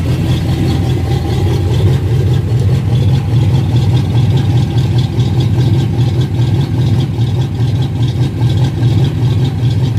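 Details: Freshly rebuilt engine on its first run after the rebuild: loud, low, steady idle throb at an even rhythm with no clear knock or miss standing out.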